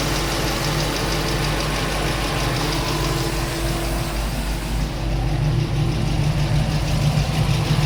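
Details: LS-swapped Chevy K10 V8 at idle: a light, steady tick about three a second over the low rumble. The owner is unsure whether it comes from the headers or the valve train.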